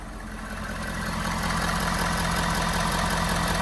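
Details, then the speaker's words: 2015 Ford F350 6.7 Powerstroke diesel just after an oil change and replacement of both fuel filters, started once fuel pumped through to fill the filters. Even diesel clatter at a steady idle with no misses or knocks. Normal idle. "okay we're good we're started let's see if it stays started seems to be running pretty good so far"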